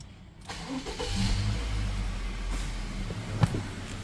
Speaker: Our compressor is making a horrible rumbling noise, but what I want to show you is how we can see that on a scope and use this to our advantage